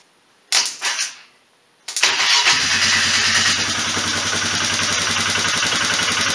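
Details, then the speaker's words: 1998 Polaris Big Boss 500 after swapping the CV vacuum carb for a slide carb: brief cranking, then it catches cleanly and settles into a steady, even idle with no misses; runs healthy without choke. "got my slide car booked up I just got it hang it up here for all and this thing really snorts once they start it up fire it up for you"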